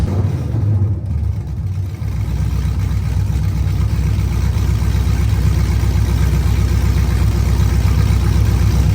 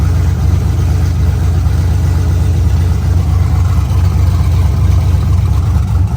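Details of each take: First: LSA-swapped Chevelle V8 running through open headers with a loud, lumpy, uneven idle that keeps wanting to die; owner suspects the O2 sensors sit too far from the header ends, unconfirmed, during a heat-cycle test. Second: LSA-swapped Chevelle with new spark plug wires, first start on open headers: loud, lumpy V8 burble at idle, steady deep pulse, no ticks or misses. All cylinders around 300 degrees; dying possibly blamed on O2 sensors near header ends.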